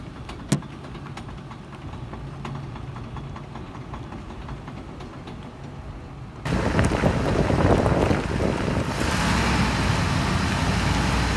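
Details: Ford Expedition at slow speed: light metallic clicking about four a second from worn U-joints.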